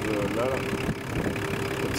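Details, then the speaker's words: Nissan Patrol Y60 diesel at idle after power steering pump replacement: only a faint steady pump hum, and the old whine that rose with engine speed is gone. Steering pump healthy. "la pompe ne fait plus de bruit rien que ça déjà c'est une bonne nouvelle"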